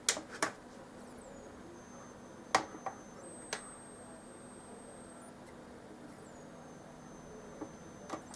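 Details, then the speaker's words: Samsung SyncMaster 2043 monitor: thin, high power-supply whistle that rises, cuts out and starts again as the monitor keeps restarting; it often fails to switch on at the first attempt, coming on at the second. "слышен свист такое очень подозрительный и он вечно перезапускается но наша давайте еще раз попробуем его включить вот так вот с первого раза он может не включится"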